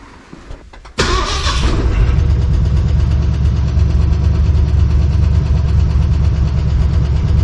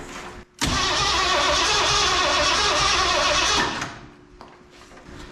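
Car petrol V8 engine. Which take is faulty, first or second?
second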